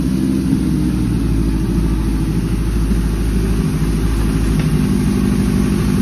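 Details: Suzuki GS750 cafe racer, owned about seven years, started with choke on: steady, even four-cylinder burble with a low, smooth beat and no knocks or ticks; idling cleanly.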